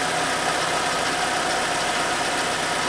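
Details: 2011 Citroën C4 1.6 16V hatch, after the clutch kit replacement: steady, even idle hum with a faint high whine and no knocks, rattles or clutch chatter; idling cleanly.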